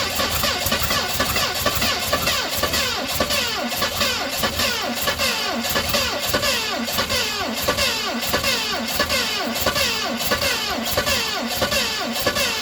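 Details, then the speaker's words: 1970 Mustang Mach 1 cranks in rough, uneven bursts without firing after distributor adjustment went too far, the battery ran down and fuel ran low. Owner suspects ignition timing is off by a tooth; cause unconfirmed. "Well, she just doesn't want to fire, guys. I believe our timing is off. I think we're off a tooth in the timing."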